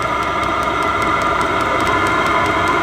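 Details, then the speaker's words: Vevor diesel heater on first test run: steady rushing roar, constant fan tone and light fuel pump ticking about four a second; inside about 235–240°, set to lowest temperature and fan speed. Normal running. "fuel pump is pumping faster and it's really cranking out now okay yeah oh yeah holy crap it's like a turbine"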